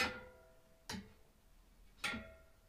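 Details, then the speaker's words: Bicycle wheel after a trailside broken-spoke fix using climbing cord tied with pliers: three plucked spokes give short, slightly dull pings, showing quite a lot of tension remains. "a bit dull there's quite a lot of tension on that"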